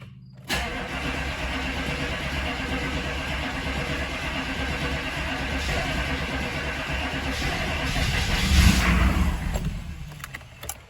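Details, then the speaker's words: 6.5 diesel that had been running out of fuel and dying, possibly air in the fuel line: long uneven cranking that builds, flares briefly, then fades without settling into idle; hard starting, still some hesitation once running. "all right so it's having a hard time still that's not a good sign"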